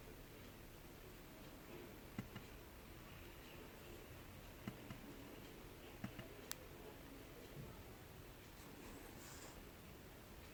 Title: MacBook Pro (15-inch, 2019) popping sound from speakers